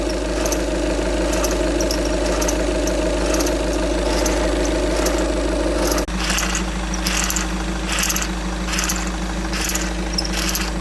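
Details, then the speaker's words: VW Golf 6 accessory noise: a fast metallic rattle and whirr from the belt side over a steady idle; the alternator pulley was first suspected, then the air-con compressor pulley; the accessory belt was removed to check. "A priori, c'est le compresseur de clim. La poulie. La poulie."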